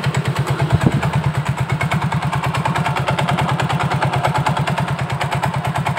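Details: Soul GT scooter at idle, rough klotok knocking resembling a bad connecting rod: uneven clatter about three knocks a second, louder with the CVT cover off; a loose CVT pulley knocking in the drive.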